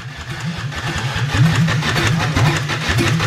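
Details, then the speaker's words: 2004 Ford Ranger Tremor, previously suspected water in cylinders, tank drilled: steady cranking about four compressions a second that never fires; crank no start, no gas in it. "there's no gas in it"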